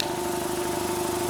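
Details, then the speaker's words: 200 L 3 hp single-phase belt-driven air compressor, neglected and due a service, running with the belt cover off. Old belt slopped badly and it slowed mid-buildup, but it now pumps with an even thrum and no belt squeal or slap. "at the minute it's okay uh shouldn't really have the cover off this but the old belt was slopping up and down really really badly um hopefully you can hear me over the noise of it"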